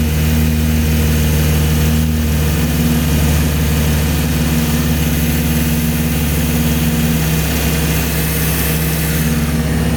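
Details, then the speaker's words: 2012 Chevrolet Camaro V6 idling after alternator and serpentine belt replacement; low, smooth, even idle with steady pitch, no ticks, squeals or rattles; charging voltage now highest in a long time; normal healthy idle. "It's exactly how it was when I first bought it. I don't hear any crazy sounds."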